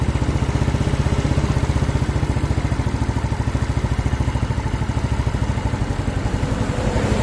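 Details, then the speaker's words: Yamaha Mio scooter single-cylinder after compression-loss repair (carbon-fouled leaking valves cleaned, new valve cover): steady, even brisk idle with no misses or knocks; engine runs smooth, leftover oil still in exhaust. Normal idle. "Oke kita matikan dulu ya ini halus guys mesinnya nih ya kita matikan"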